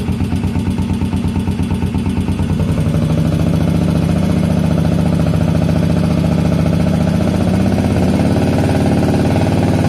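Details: 1981 Yamaha SR500 single-cylinder, just bought, after oil and filter change, sump check ball/spring/gasket replacement and valve adjustment, still smoking, 115 psi compression: uneven lumpy idle, then held higher and steadier.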